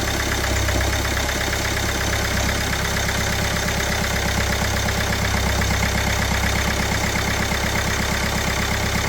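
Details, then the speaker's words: Kia Sportage 1.7 diesel after cleaning injectors, new copper seals and new rocker cover: steady even idle clatter, no misfire or knock; a leak at injector number 1 was found afterward. "Sounds good, looks good, should be good."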